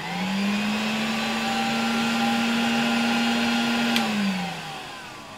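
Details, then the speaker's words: 1966 Polish Alfa K2 (A7F) vacuum with an SK-5b motor, after the motor was cleaned and its cover refitted. It spins up to a clean, steady whine, then winds down smoothly with no knocking. Only now does it run properly. "Wydaje mi się, że dopiero teraz ten odkurzacz działa jak należy i dopiero teraz jestem z niego tak naprawdę zadowolony."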